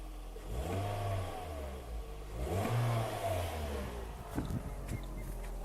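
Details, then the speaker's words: Toyota Yaris first generation 1.5 TS after temporary exhaust repair with aluminium tape; two clean revs with a quiet, even exhaust, the earlier rally-like blowing noise gone; normal exhaust note. "ça fait plus le bruit voilà c'est nettement plus silencieux"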